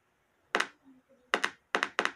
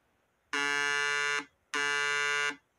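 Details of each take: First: Homemade 12 V inverter oscillator board with output deliberately shorted, speaker connected: only sharp irregular paired clicks, no steady tone; board not oscillating, and connecting the MOSFET stage would burn the MOSFETs. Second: Homemade 12 V mini inverter oscillator board tested with a speaker on the outputs before connecting the MOSFET power stage: steady buzzy 60 Hz oscillation tone in bursts about a second; board oscillating correctly.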